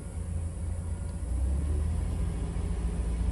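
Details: 2002 Chrysler Town & Country van, light throttle raising throttle position from 14% while checking throttle position sensor data: smooth low rumble rising evenly, no knocks or misses; normal revving, engine responds cleanly.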